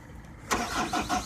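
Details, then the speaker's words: Ingersoll Rand diesel machine cranking at about 60°F in Florida: steady starter churn with even rhythmic compression pulses about five a second, but it only almost pops and never catches. "the son of a bitchin thing just sits there and cranks by yourself look this is what starts this garbage it almost popped I know you heard it"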